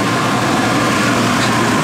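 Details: 16,000 BTU marine air conditioner on a sailboat, test run: even, steady airy hum with a low drone underneath, no cycling, rattles or squeal; running normally, blowing cold air.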